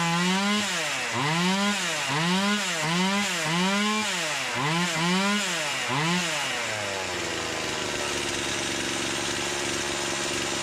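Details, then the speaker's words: Stihl MS170 chainsaw after swap to new stock OEM carburetor (replacing aftermarket one), first start with half choke: crisp clean revs and drops, settling to steady even idle, less smoke; healthy running. "it sounds like it woke it up more though to be honest just putting that steel carburetor on that that stock OEM brand new steel carburetor on compared to the Hall's fora"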